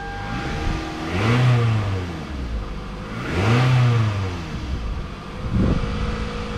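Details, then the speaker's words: 2005 Toyota Camry after replacing ignition coils, spark plugs and valve cover gasket to cure a misfire: steady idle with clean rev blips, no misses or stumbles; normal running. "So I'm going to start it up. Well, sounds like it's running real smooth."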